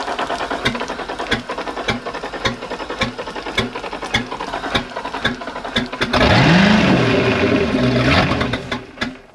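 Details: 1992 Sea Ray 38 SS starboard Mercruiser 7.4L MPI L29, first start after about five years unused, on water muffs: rapid even cranking clatter for several seconds, then catches and settles into smooth steady idle; running normally.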